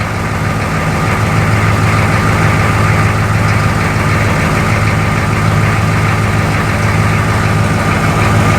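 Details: M1028 CUCV diesel truck idling after installing upgraded glow plug control card, glow plugs cycling correctly at key-on: steady even diesel clatter, low rumble, no misses or heavy knocks; healthy idle.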